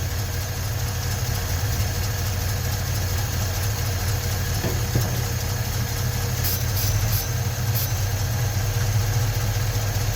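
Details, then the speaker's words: 1956 Ford truck, 45,000 original miles, first run after 40+ years sitting with new starter: steady low rumble with even beat, no knocking or banging; normal idle, battery light on suggesting no charging. "Pretty good. I don't hear any knocking or banging. Pretty good for having not run in 40 plus years."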